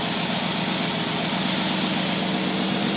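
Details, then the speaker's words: Predator small engine with rebuilt, re-chromed carburetor, running hands-off: a low, steady idle around 600 to 700 rpm, even and unhurried with no stumbling, with air-fuel ratio about 12. Normal idle. "as you notice my hands were not even touching the thing thing runs perfect started again for you okay we're idling here about somewhere around well it got down there how much is that"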